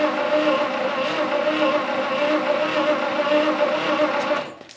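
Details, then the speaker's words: 1959 Studebaker Lark 259 V8, sat 36 years, two-stroke weed-whacker gas poured in the carb: sluggish, uneven cranking at about 3.5 turns a second that drags and dies away, too slow to start. A weak battery is suspected, so jumping from an Impala battery is planned. "it doesn't feel like it's turning over fast enough"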